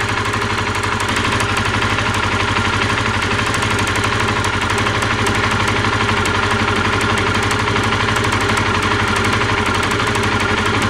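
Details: Honda CBR125R idling with sharp, high-pitched ticking about four a second, heard while riding, from spark leaking at a rusted-inside plug cord; temporary fix applied, owner suggests replacing the cord.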